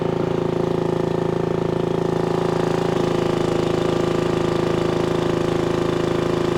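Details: 1996 Brave log splitter, about 30 years old, revived after its engine had seemed to seize; splitting wood on a cold, windy day, a steady drone with a clean firing beat around three a second holds speed under load; healthy.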